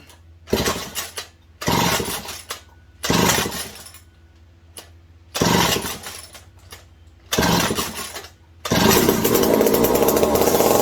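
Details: McCulloch 740 chainsaw after coil gap fix and swapped spark plug: about five crisp blips then sustained high rev, no misfire; runs strong. Owner hopes no air leaks; loose carb linkage wants to hold about quarter throttle and may run lean.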